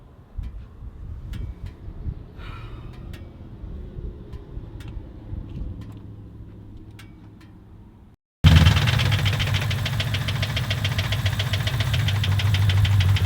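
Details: Nitrous Mustang V8 after blowing its motor on the street: after a quiet stretch it fires loud and rough with a heavy uneven knock under idle, suggesting internal damage; cause unconfirmed.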